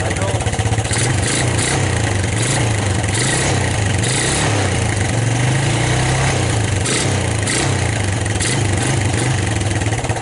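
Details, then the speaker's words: 1999 Suzuki Quad Runner LT 160 single-cylinder ATV, cold start with choke on, watched at the muffler: small steady thumps with an even beat, no stumbling and no real smoke; normal running. "know no real smoke I got to love it"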